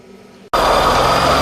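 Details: 2007 Ford Escape 2.3 L four-cylinder, just started: a coarse, constant grinding rides over the idle from the AC compressor at the lower front right of the engine; a stethoscope confirmed the compressor had failed and needed replacing.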